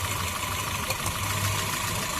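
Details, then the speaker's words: Honda City petrol engine with CNG fitting, misfire complaint: with a second ignition coil unplugged during a coil-by-coil test, idle turns lumpy and stumbling and vibration increases; coil one was leaking current and burnt. "अब देखिए engine कैसे sound भी change हो गया और vibration भी ज्यादा देखिए।"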